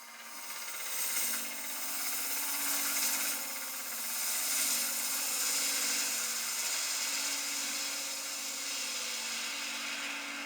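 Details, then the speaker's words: Woodturning lathe, resin and apple hollow form: hissy scraping cut with fast uneven rattle about three per second; tool bouncing from improper support, leaving chatter pattern on wood surface. Lathe tool chatter. "This pattern is caused by a bounce in the tool. It's basically because I was not supporting the tool properly and allowed for vibration to occur in the tool."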